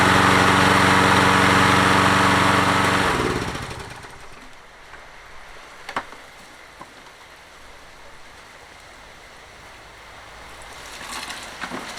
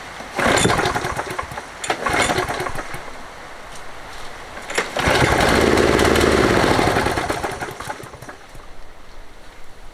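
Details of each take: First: Toro 20789 mower with Briggs Intek engine, hot-restart trouble, worn engine; after valve work and reassembly it restarts more easily despite slight hesitation, holds a steady, even beat a few seconds then winds down to shutoff; normal running. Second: Toro 20789 mower with a Briggs Intek engine and a hot-restart problem, after a new fuel line, filter and spark plug: it catches after a couple of pulls, revs briefly, then fades and dies. Probably a carburettor problem.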